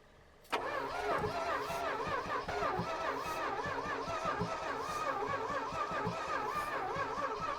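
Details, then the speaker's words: 1970s Plymouth Trail Duster with 360 Mopar V8 sitting about 21 years, on a charged battery with Seafoam added: steady, even cranking for several seconds that never fires. Crank no start; owner suspects no spark, plugs pulled and found dirty and dry. "no we're going to go ahead and check the spark plugs it doesn't seem like we're getting sparked"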